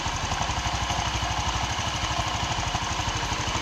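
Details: Honda Vario 125 scooter that died suddenly from a loose internal bolt, after retightening: steady, even putter at idle with quick regular beat and light clatter, no knocks or misses; idling normally.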